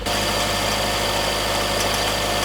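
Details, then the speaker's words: Warm engine with an even idle and a fast metallic rattle riding over it, occurring at specific rpm. The tank is three-quarters full. Suspected causes: low-octane detonation, pre-ignition, or wrong spark plugs; not yet confirmed. "por ejemplo gasolina el octanaje muy bajo hace que detone y suene de esa manera"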